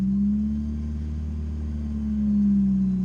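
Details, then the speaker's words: Supercharged Chevrolet Cobalt SS, started with clutch pressed: deep steady low rumble with a slight swell in revs and audible supercharger whine; healthy engine. "gotta love the rumble of that thing oh yeah"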